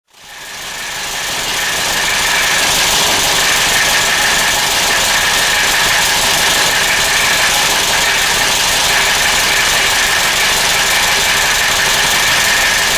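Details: 1996 Geo Metro, newly purchased, idling: small petrol engine with a hissy, slightly uneven beat about four times a second; runs rough, cause not clear.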